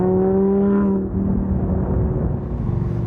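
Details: Heavily modified Audi R8 rebuilt from a salvage-auction wreck, driven on the road with repeated downshifts: revs climb crisply, then drop smoothly into a deep even rumble; temperature good, engine sounds strong and healthy.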